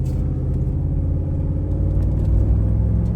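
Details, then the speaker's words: Ford Super Duty 7.3L Godzilla V8, about 90,000 miles, driving unloaded after replacing spark plugs, wires and air filter to cure a stumble and misfire under load: deep steady rumble, smooth with no missing beat; significantly more power. "I just took the truck for a little test drive. Um, wanted to let you guys know that there is significantly more power. It feels a lot better."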